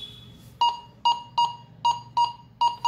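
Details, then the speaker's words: Metal detector: short clear mid-pitched beeps about two a second as the coil nears metal; sounds only over metal to save battery, normal target tone. "ఇప్పుడు చూడండి నేను మెటల్ కి దగ్గరికి వెళ్తుంటే చూడండి సౌండ్ కూడా ఎలా ఈజీగా వస్తుందో"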